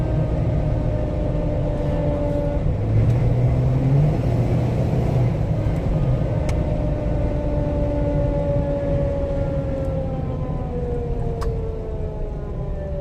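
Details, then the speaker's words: 2017 Jeep Wrangler JK, 30,000 miles, 37-inch tires, front axle swapped, road test: whine falling in pitch whenever off the accelerator while coasting; rear differential ring gear bolts found loose after 3,000 miles. "the customer says that it makes a noise anytime he's not on the accelerator so we're gonna take it for a drive see if we can't hear the noise"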